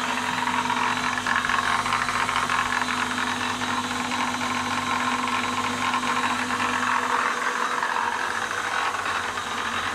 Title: Kikinda Ernault Lathe AC280 - knocking sound